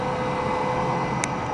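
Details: HE System Technologies twin tower rotary screw compressor with two-stage dryer, heard at the intake side with exhaust fan blowing: quiet even rush of air and faint steady hum, no knocks or rattles; running normally.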